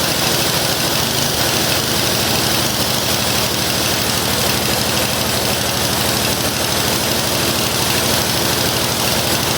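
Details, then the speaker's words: Curbside-found snow blower small single-cylinder engine, started with brake cleaner: runs fast and steady with busy, clattery exhaust and no misses; runs fine. "I think everything might actually work on this thing. Um, that's kind of awesome. Well, that was a really easy will it run."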